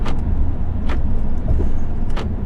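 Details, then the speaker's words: Jeep Grand Cherokee SRT (WK2), engine running: three short sharp buzzing clicks about a second apart as a failing door lock actuator cycles without locking; driver's door and rear passenger actuators failed within two months, fixed under warranty. "It was the door actuator, they called it. Here on the driver's side door in the SRT that I had, and the passenger side rear failed."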